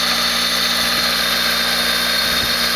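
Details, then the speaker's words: First start of a freshly built D16Z6 engine in a 1991 EF hatch, replacing a blown engine. Even, smooth idle with a faint hiss and no ticks or knocks while old oil and paint burn off; the engine sounds healthy. "Yeah, don't sound bad, either. That motor sounds damn good. The motor sounds great."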